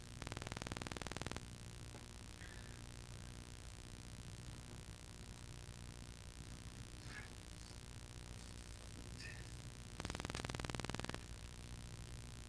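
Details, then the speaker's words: Pyle PMX7BU mixer powered through an AC inverter; steady low electrical hum with buzzy overtones stays constant, a ground loop/EMI problem persisting even after moving the inverter and connecting earth leads. "You got a capacitance issue. Yeah, I hear that. Yeah, okay, so you still got a ground loop problem."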